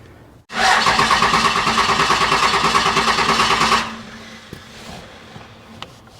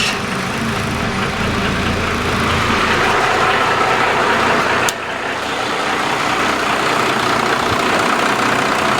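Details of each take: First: 1995 Dodge Ram Cummins 12-valve P-pump diesel, junkyard non-runner, fuel solenoid holding with 12 volts: about three seconds of steady even cranking, roughly three pulses a second, stops without firing; cranks no start, owner suspects air in fuel lines. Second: Abandoned 1995 Dodge Cummins 12-valve P-pump diesel running after the fuel solenoid was pulled up and air worked out of the lines. Even diesel clatter at a steady idle, about four pulses a second, holding speed without stumbling; healthy idle.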